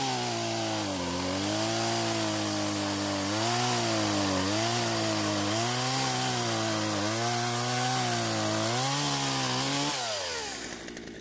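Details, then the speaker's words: Poulan chainsaw revived from storage, fresh fuel, chain tensioned and lightly sharpened: steady high buzz that sags when biting into wood, then recovers and winds down cleanly. Normal running under cutting load. "surprisingly besides needing to adjust the idle speed to keep the chain from moving while off the trigger it seems to be running and cutting just fine now"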